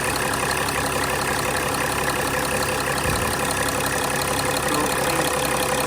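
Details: 2006 Mercedes E320 CDI, OM648 diesel, idling after the glow plug control module and fuel rail pressure sensor were replaced, no leaks found: steady, even clatter with no misses or extra knocking; healthy idle.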